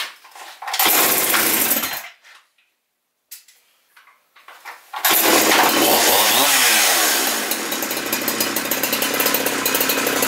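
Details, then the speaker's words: Husqvarna 372XP chainsaw with Walbro carburetor, just rebuilt because it stalled instead of idling when warm; L screw set about 1 1/4 turns, dry carb at start. It fires, dies, restarts, revs up and down cleanly and holds a steady even buzz: normal start and run. "Not bad. The real test will be when I take it out and I use it for real."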